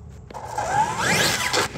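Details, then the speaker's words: Hobbywing Max5 G2 ESC on original firmware with a sensorless motor, acceleration test: motor whine climbs in pitch but in steps rather than one smooth rise; sensorless startup hesitation the firmware update is meant to fix. "let me show you what acceleration is like with the original firmware you can hear that staged acceleration"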